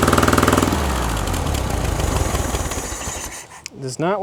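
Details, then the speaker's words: 1960s air-cooled VW dune buggy, sat 10+ years, fuel fed manually past the fuel shut-off solenoid: lumpy, uneven chugging that fades and dies instead of settling into idle. Idle adjustment possibly needed. "Might have to do a little bit of an idle adjustment there. See if she'll start again."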